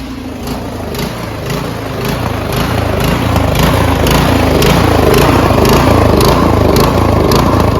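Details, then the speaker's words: Troy-Bilt Storm 2410 snowblower, MTD Powermore engine, after carburetor cleaning and fuel system cleaner; steady note pulsing about twice a second as governor hunts, still surging as before; pilot/main jet suspected, not confirmed. "so as you guys saw uh our fix did not really fix the problem because it still surged just as much as before"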